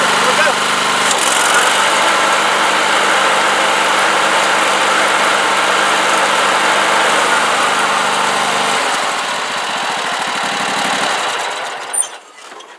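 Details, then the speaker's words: Cub Cadet LT1045 riding mower after replacing the bad center deck spindle; engine and deck spin steadily and evenly with no rattle or knock, then wind down at shutoff; normal running. "okay that's working good it is nice and quiet I didn't hear all the rattling that was hearing there things working fine"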